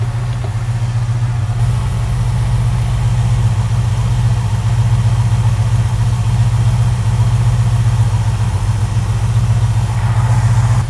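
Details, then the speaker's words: '73–'77 GM A-Body V8, warm, idling in park with the transmission nearly dry while fluid is added: a deep, steady idle with a gentle "baby chop" cam lope at about 220 pulses a minute and no knocks. Running like a top. "give it like a touch more but I like that little L I think the kids call that the L tune a little little ch just a little baby chop"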